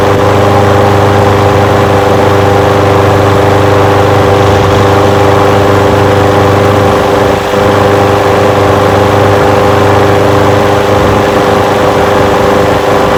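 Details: Old curbside Craftsman push mower with a Briggs engine, first run after revival: runs steadily on its own fuel with no misses, surging or stalling. It smokes a little. Windy outdoors. Normal idle.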